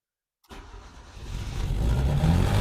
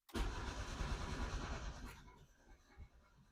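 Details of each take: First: Yugo engine not run since 1992, TruFuel poured into the carburettor: cranks briefly, catches and builds into a steady low rumble with no valve clatter; starts and runs fine for the first time. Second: Yugo, first start attempt on ethanol-free TruFuel with two-stroke oil, pumped: strong steady cranking for two seconds with a brief catch, then dies away; fires but won't keep running.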